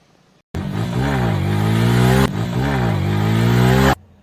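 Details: Yamaha FZ V3 motorcycle after chain cleaning and lubrication for chain noise; two clean revs rise and fall smoothly with no rattle, slap or grinding from the chain; normal chain running.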